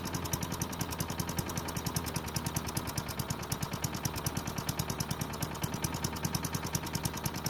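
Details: Craftsman chipper vac with Tecumseh engine, long stored, gives quick, even firing pulses at steady speed, no over-revving as before (suspected stuck governor); a great running engine despite low compression.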